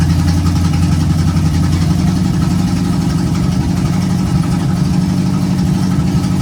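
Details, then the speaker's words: 1951 GMC cab-over at first start, after a temporary vacuum-leak fix and a little more ignition timing: steady, even low rumble at idle with no misses, knocks or hunting; running smoothly. "Cool. So she runs. Runs good too."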